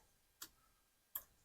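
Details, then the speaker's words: 1981 Yamaha Maxim XJ650 unused for 20 years, push-start pressed: two sharp dry clicks, no cranking; clicking suspected from a relay, and a wire is getting warm; electrical fault not yet pinned down. "clicking down in maybe one of the relays or something this is all that stuff I was talking about here"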